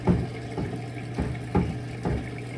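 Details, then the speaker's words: Kenmore Elite front-load washer, model 110.42922200, diagnostic step CO6 drain: a low, steady pump hum with soft gurgling surges about every half second as water clears. The drain pump is working normally. "you can hear the drain pump on. Drain water's coming out."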